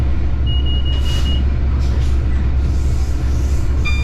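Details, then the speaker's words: Class 66 locomotive cab: a heavy engine rumble with a steady high beep of about a second, then a short beep, from the train length indicator that shows when the train's rear has passed a fixed point; normal. "High-pitched beeping noise you can hear is the train length indicator, a device fitted to certain classes of locomotives to aid the driver in knowing when the rear of the train has passed a fixed point, such as a speed limit increase."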